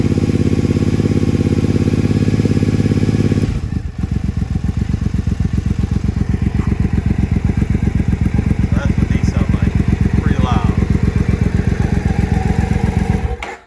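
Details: Triumph Speedmaster twin idling with a very loud, deep, rapid thumping exhaust and a hard bark on every firing; its original pipes are ear-ringing loud even with earplugs; recorded before swapping pipes.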